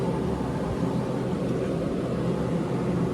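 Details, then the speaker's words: 115 V 15 A through-the-wall AC, front cover off, blower on medium in fan-only mode with the compressor off; soft, steady airflow rush with a low even hum, no rumble, squeal or ticking, healthy fan motor. "Now, the compressor will not kick on because I don't have the thermostat on. I don't have the thermostat turned up, so it'll just be on fan like it was on the other mode."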